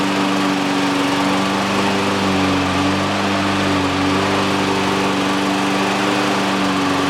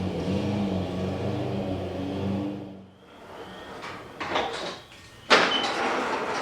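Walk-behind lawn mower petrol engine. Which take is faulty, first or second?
second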